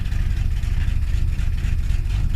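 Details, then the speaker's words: Ford Mustang (Stitch) carbureted engine, cold start in winter, accelerator held 10-20 percent; uneven, lumpy low rumble with shaky beat; rough idle, owner suspects the carburetor. "when i start it i hold down the accelerator until it stops shaking like can you hear that because if you can hear that you can hear it it's not right"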